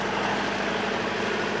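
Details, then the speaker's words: Sailboat's diesel inboard heard in neutral idle: loud but even steady low thrum like a tractor engine, with hardly any vibration and no knocking. The engine is running smoothly and healthy after an upgrade. "yeah that's fine that is fine i mean it's loud don't get me wrong but there is like a tractor engine you know in our boat"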